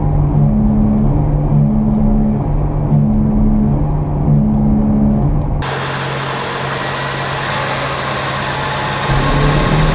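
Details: Car driving: a steady low drone and hum under the road noise; badly worn front wheel bearing.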